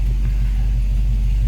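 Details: 1966 Ford Mustang coupe, odometer 76,000 miles (unconfirmed original): deep, steady low rumble with an even beat and no knocks or ticks; idling cleanly and healthy.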